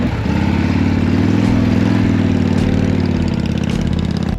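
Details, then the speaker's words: 1979 Harley-Davidson Shovelhead V-twin, started after roughly six years sitting: loping, uneven idle holds steady for several seconds with no clatter or grinding, then shuts off; sounds healthy. "Sounds pretty good, honestly."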